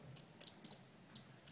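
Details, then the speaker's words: Two relays in a capacitor-driven flip-flop on perf board, capacitors alternately charging and discharging to alternate green and red LEDs: sharp dry clicks in irregular pairs, a few per second, quiet background; normal relay switching. "so you can see the ticking sound of the relay the time that the capacitor one is studying the word other one is distorting that's why LED is helping this alternate"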